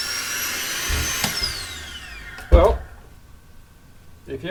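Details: Toyota Hilux (Australian model) secondary air injection pump, fault code P0418: high blower whine sinking in pitch as pump spins down, then a clunk; pump running normally.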